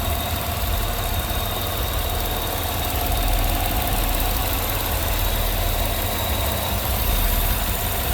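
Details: Engine restarted after removing a noisy vacuum pump that sounded like lifter noise, plugging the holes, teeing the brake booster into the intake and connecting the catch can to the PCV valve: even, steady idle with no ticking, smooth and quiet.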